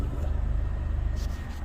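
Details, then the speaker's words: Honda Civic EF sedan, after oil leak and blow-by box gasket work: even fast idle pulsing with slight rhythmic shudder and a growl, engine visibly vibrating though it idles and responds fine; cause unknown. "and so after all that i still have this little shake oh you can see it but if you put the mic up you can hear it it's just vibrating away"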